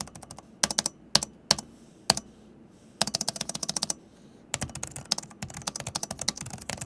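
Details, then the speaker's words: Alienware Area-51 gaming laptop (16" and 18") mechanical keyboard: bursts of quick keystrokes, each topped by a sharp, high-pitched metallic ping as the switches bottom out while typing, caused by the switch mechanism. "Every time when I bought them out or if I'm just casually writing an email, there's this high-pitched pinging noise. It's sharp. It's metallic."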